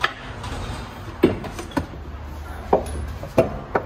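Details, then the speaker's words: Opel Insignia 1.6 CDTI diesel, recently bought, in for heavy maintenance; scattered sharp clunks, about five in four seconds, over road rumble when wheels drop into potholes; worn suspension (undercarriage) parts, to be replaced. "Ama bunlar Çukura düştüm zaman mı ses yapıyor Evet"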